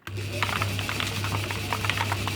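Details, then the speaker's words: Rotary tumbler (3 kg capacity) with steel needle media: irregular sharp taps and clicks over steady motor hum as the heavier machined part rolls, is dropped and knocks against the tumbler wall. "Rolls forward, it gets covered by the needles and dragged up and then dropped down as it flicks around. And you can hear it hitting the side."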